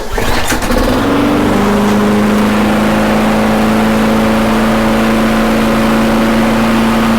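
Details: Toro Recycler mower after handle bar and cable replacement and carb cleaning, fresh gas and old oil: small engine catches after a pull and settles into a steady, even drone; running normally.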